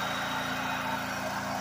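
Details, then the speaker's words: Harbor Freight generator running on wood gas from 5–10% moisture wood chips via DIY gasifier, about 1300–1700 W load including coffee pot: steady even drone, no hunting, misses or knocks; running smoothly under load. "so I've been riding a 30 000 watt load plus I ran the coffee pot and that kicked it up to about 1700 Watts"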